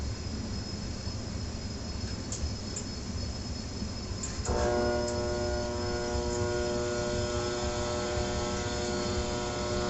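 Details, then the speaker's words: Trane XR80 gas furnace: a steady electrical hum holds while the blower fan tries to start but never spins up; everything else runs until the unit shuts down. Blower motor is failing to start. "that noise is almost a dead giveaway it's it's a fan trying to start up I'm not having any luck um everything else is running"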